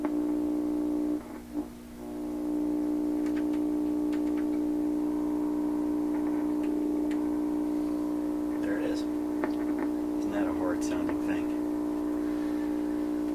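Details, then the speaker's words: 1928 RCA Victor Model 28V radio during balance and alignment: received signal on a steady low hum with rough, grumbly buzzing over it; distorted radio audio, cause not found. "So regardless of what it sounds like, just ignore the fact that it sounds like a grumbly old man."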